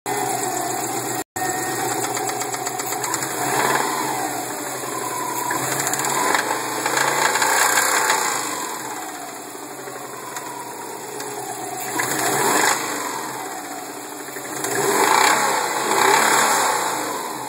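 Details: 2002 Subaru WRX petrol engine revved: hard metallic knock that quickens and sharpens with revs, from a spun rod bearing.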